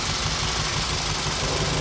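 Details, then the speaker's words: 2007 Scion tC at idle, check-engine light on and car shaking heavily: rough, uneven idle with irregular low thumps, a cylinder misfire attributed to a failing ignition coil, identified by unplugging coils one at a time. "Y te voy a decir que es un Miss fire que le llaman que es una falla lo único que te está fallando son los códigos O bobinas como le llamen"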